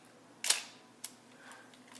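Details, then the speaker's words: Olympus OM-2n 35mm film SLR with the mode switch in the off position: separate crisp shutter clicks, each the same short snap, so the shutter speed does not change whatever is dialed. "And it didn't, did it? That's because it's in the off position. And in the off position, it's not changing."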